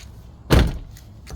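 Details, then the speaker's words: 1999 Lexus ES300 Coach Edition, about 140,000 miles: after fixing a creased door that rubbed the fender, the car door shuts with one solid thump and a brief latch click, no scraping or grinding; door now closes cleanly. "So now you can have the door open and close without any issues."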